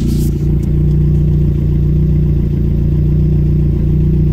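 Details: Renault 5 GT Turbo, F7P engine, first start after bottom-end rebuild: strong, even engine note holding steady with light throttle blips, no knocking or rattling underneath; bottom end sounds healthy.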